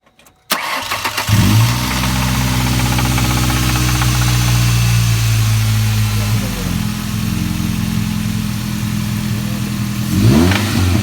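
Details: 2005 Ford Ranger 2.3L four-cylinder starting and idling with a deep knock under the idle, louder on each throttle blip; bad rod bearing.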